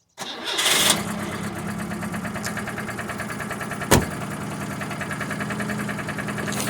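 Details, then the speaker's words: 50-year-old Citroën GS, dead cold with the choke about 50% out: catches within a second and holds a perfect steady cold idle with a faint light tapping underneath; owner suspects the flat-base carburettor helps. Healthy start. "Just want to show you how this just starts up and holds perfect stable idle when cold. Maybe it's due to the flat base on a carburetor, I don't know."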